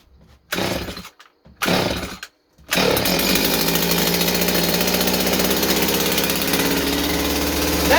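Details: Stihl 025 chainsaw, cold start: a few pulls until it pops, then it catches and settles into a steady, even idle while warming up. It seems fine now, though it has been seen to run sporadically, with a possible air leak.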